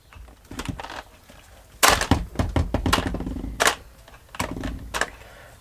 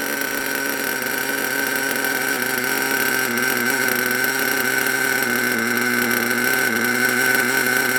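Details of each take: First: HPI Savage SS nitro engine after years in a shed, roto start unit with taped battery wires: short bursts of straining starter whirr and thunks, no firing; engine still jammed, heat gun to be applied. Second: HPI Savage SS nitro engine after years in a shed, warming up: steady even high-pitched tick-over with faint constant whine, no stumbling; normal idle.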